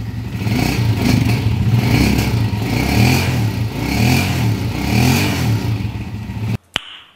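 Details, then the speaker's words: Pinoy 155 motorcycle after repair with new cambio (gearbox) fitted, previously very noisy like a rock crusher inside the engine; now revs and settles smoothly, quiet, no grinding from the gearbox. "Nice. Before and after mga bossing. Ayun na yung andar niya, smooth na ulit."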